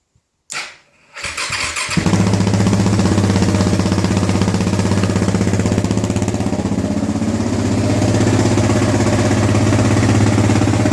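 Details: 2009 KTM 690 single after stalling/no-idle fix (injector cleaned, new fuel pump, external Golan 10 micron filter, Akro map, SAS eliminated): brief cranking, catches and settles into even thumping idle about four beats a second without stumbling; runs properly.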